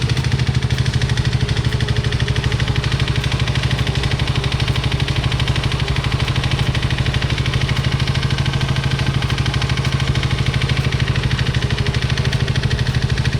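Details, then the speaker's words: Yamaha Mio i125 (M3) scooter that ran dry of oil, heard at idle before teardown: a regular hard bottom-end tapping at about three per second over the engine note. Mechanic suspects the connecting rod since it did not smoke; not confirmed. "Pero ang sa mga ganitong senaryo, ang una kong hinala dito is connecting rod, no, kasi hindi naman siya umusok, baka connecting rod yung may tama nito."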